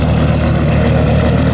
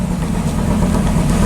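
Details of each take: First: 2004 Dodge Ram SRT-10 with owner-built turbo kit, first start after sitting five months: after initially running lean and misfiring, settles to a deep, loud, steady idle with even low rumble and no misses or knocks. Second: 2004 Dodge Ram SRT-10 with owner-built turbo kit, first start after about five months sitting: deep, lumpy idle with an uneven beat, running lean with warning lights on and feeling like it's misfiring; rough idle.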